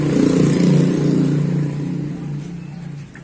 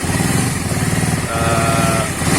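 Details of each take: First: Suzuki Satria FU 150 motorcycle with rough noise (suspected cam chain or piston): engine catches into a fast, rough idle with a loose metallic rattle over the beat; cause found to be a worn cam chain, which was replaced. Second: Suzuki Satria FU 150 single cylinder after replacing a worn cam chain that caused rough noise, with fresh oil; even steady beat with no rattle or chain slap, smooth healthy running.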